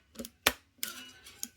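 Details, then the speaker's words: NES cartridge tray, partway through filing with a rotary tool: five sharp plastic clicks in under two seconds as the metal pin still snaps over the plastic guide when pushed down; needs more filing. "Okay. Still clicking a little bit. So just need to go a little more. It's getting better. Still a little clicky."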